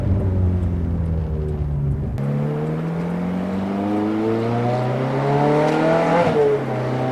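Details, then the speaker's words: Ferrari F430 on a road drive after replacing the bad rear wheel bearing: engine pulls cleanly with no hum, growl or rumble from the wheels; new bearing perfectly quiet, steering vibration gone. "Alright, so as you may have heard, it sounded perfectly quiet. The bearing is all set."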